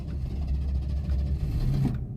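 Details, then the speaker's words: 1981 Mercury Capri, 200 inline-6, after Seafoam in gas tank, broke down while driving: low rumble catches about two seconds, wavers, cuts out; gas does nothing; starts then stalls, cause unconfirmed. "it'll start but then just immediately die now if I try and give it any gas while I'm doing this and just nothing like just nothing"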